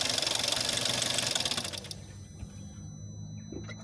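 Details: VW Jetta 6 1.4 TSI CAXA, 125,000 km, cold start: fast even ticking rattle, about four a second, fading after two seconds, worst after 3+ days unused and gone when warm; timing chain suspected but tested not stretched; cause unknown.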